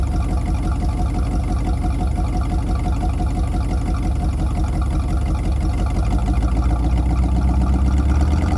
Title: 253 V8 Running With Vacuum Leak